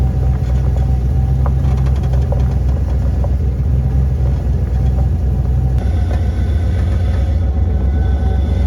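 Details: OBS Ford with stock 5.0L V8, after swapping to a Saginaw power steering pump to cure steering whine: deep V8 rumble rising under acceleration with no whine, so the pump sounds quiet and healthy.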